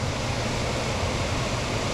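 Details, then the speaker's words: HVAC air handler blower after blower relay replacement, fan had been running constantly causing high humidity and bills: smooth even air rush with low steady hum, no more buzzing, quieter, and it shuts off; normal operation. "obviously there's no more buzzing much quieter and it shuts off"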